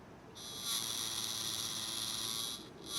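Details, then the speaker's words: Blade 350 QX2 quadcopter's newly installed 2D gimbal, powered with no camera on it: loud, high, steady buzz with a brief dropout. The motors oscillate because they need the camera as a counterweight; the camera mount was also found cracked. "so i think the reason it was making that noise is because uh the camera was on there it it needs actual something to what counterweight the motors"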